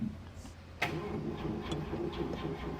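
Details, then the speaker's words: Mercedes gullwing, cold start on jump pack without gas: starter spins with an even steady beat on each compression stroke, no freewheeling or dragging, then it fires. Normal cranking with good compression. "Okay. Well, it's cranking like it has compression. There it is."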